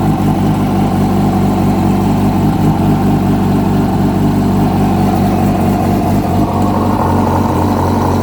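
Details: 2006 Yamaha R1 at steady idle, with a dull rhythmic knock buried in the engine clatter; a new updated cam chain tensioner made no difference, and the noise was found to be the #4 rod bearing.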